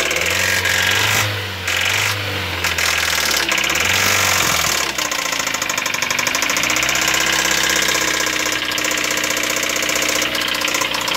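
Rough idle with a sharp, rapid metallic knocking riding over the engine through the blips; a heavy bottom-end knock is suspected.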